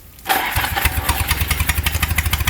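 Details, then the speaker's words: Freshly rebuilt Palmer 60 sailboat engine with 2:1 V-Drive, timing just retarded slightly from too advanced, starting for test run: catches within a second and settles into an even, steady beat with regular firing pulses, no misses or knocks; healthy start. "very eager yes listen to this kind of like it wants to go sailing"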